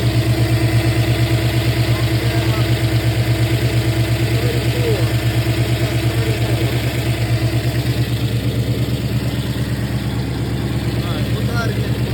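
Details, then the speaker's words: New 481 engine in a truck, fired back up after belt work: strong, even, low-pitched V8 idle at about two beats per second. Idles normally. "let's see if she'll fire on up oh yeah Fire's up pretty good"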